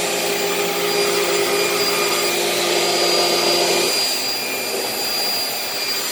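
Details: Dirt Devil Breeze vacuum: motor whirs with a high, steady whine but no brush-roll thrash; the drive belt is shot and the roller isn't turning, and the brush roll or its bearings may also be bad.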